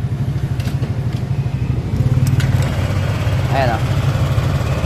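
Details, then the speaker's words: Honda Click 125 scooter after repair of a top-end ticking diagnosed as the tensioner: a steady low putter at idle with a brief throttle blip and no ticking left. Quiet, even normal idle. "na, tahimik na."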